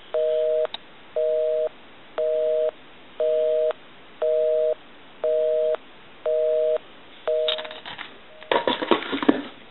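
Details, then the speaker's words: Repaired duck novelty telephone on a live line, calling the repairman's own number: eight even two-tone beeps about one each second, a standard busy signal, so it dials out and works as it should. "ok we can call one other number we can call my number and it'll be busy"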